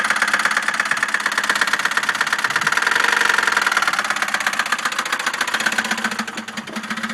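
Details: 2001 Chevy Malibu 3.1L V6, 122,000 miles, after intake manifold gasket replacement and stalling: heavy uneven metallic knocking from start-up into idle; teardown found a disintegrated piston wedged in the crank and a broken valve head, owner guesses a dropped valve seat.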